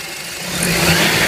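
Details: FN2 engine running with a thin whine and a light buzzing rattle that swells as revs climb; the cause is not identified.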